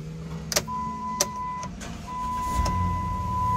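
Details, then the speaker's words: Keyless Dodge Caravan-type van, a no-crank no-start case, after retrieving the SKIM code and programming keys: a few clicks and a short crank, then it fires and holds a steady, even idle. "there it is it's running okay"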